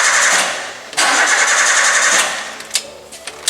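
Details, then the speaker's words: Fuel-injected (EFI) car engine cranks repeatedly on the starter in two steady bursts but never fires, followed by a few clicks; starter and battery are stated to be good, so the no-start fault lies elsewhere. "masih tetap tidak mau hidup padahal starternya masih bagus baterainya masih bagus"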